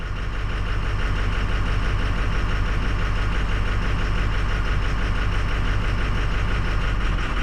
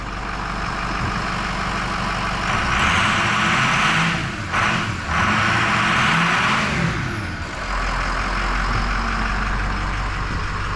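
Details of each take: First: 2006 Ford 6.0 Powerstroke diesel pickup at idle, loping, uneven firing with the engine falling on its face during a cylinder-disable test, needing repeated key cycling to reprime. Combustion gas is suspected entering and aerating the fuel through a stuck-open injector. Rough idle. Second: 2006 Ford 6.0 Powerstroke diesel after replacing an injector stuck open that pushed combustion gas into the fuel system. A smooth, steady running note, slightly rising and falling, with no more clattering or knocking; issue solved.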